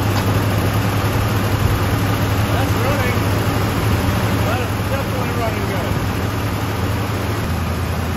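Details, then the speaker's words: 1979 Chevy K10 pickup, abandoned about 20 years, first start on old fuel left in the tank: a steady, even low rumble with no misses or knocks, idling right away with a little smoke. "this thing's like literally just fired up in idling after 20 years"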